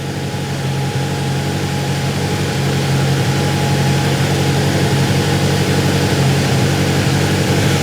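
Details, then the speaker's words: Grinnall Scorpion kit car, newly fitted radiator cooling fan at idle, smoke drawn up through the top in a flow test: steady whooshing hum with faint constant tone over smooth idle; fan running normally. "you can see there it's been drawn up inside through through the top"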